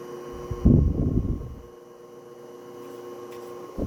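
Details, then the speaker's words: 1936 Westinghouse PowerAire 'Darth Vader' 10-inch oscillating desk fan model 10-SQ-3, pre-restoration, running with oscillation; steady electrical hum with prominent higher buzzing edge from the motor windings over quiet airflow. "And besides that really prominent winding buzz, it's really not that loud."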